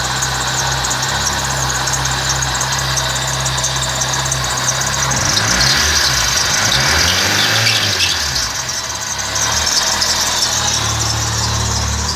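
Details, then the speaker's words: 1998 Fiat Palio, Fiasa engine, at idle: steady hiss and whir rising in a sweep, sounding like a belt but it's the alternator, belt correctly tensioned; sounds like a worn alternator bearing, as owner suspected the alternator. "Aí, pessoal, ó, o barulho que faz aí, ó. Parece até barulho de correia, mas não é. É o alternador."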